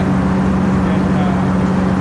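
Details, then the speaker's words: Cub Cadet Low Boy 154 tractor after spark plug replacement: steady even drone at constant speed, no skips; runs best since owned, one old plug apparently bad for a long time. "Hey everybody, I don't know if you could hear me or not when I was running the tractor here a little bit ago, but runs the best it has since I've owned it."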